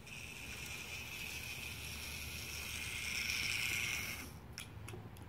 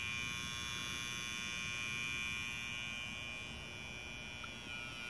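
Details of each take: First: Old Märklin 3090 model locomotive, which stops at higher speed due to a weak reverse unit (relay) spring: even motor whir with a steady high hum at low speed; runs fine at low speed, forward and reverse. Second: Old Märklin 3090 locomotive at higher speed: stalls with a thin, steady electrical buzz and no motor run-up; fault in the reverse unit relay, its spring (7194) too weak.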